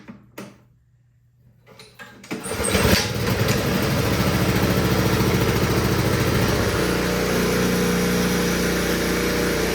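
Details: Honda HS520 single-stage snowblower that would not start and had no maintenance, choked: catches after a few cranks and settles into an even steady putter, no misses or knocks; now running normally, oil change still due.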